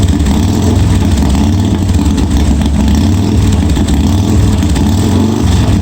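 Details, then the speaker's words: 1986 Harley-Davidson Softail first start after wiring repair, gas added: deep, even V-twin lope holding steady with no knocks, misses or rattles; starts and runs cleanly, oil pressure not checked. "what so kill button works well looks like it started so i didn't check the oil pressure or anything"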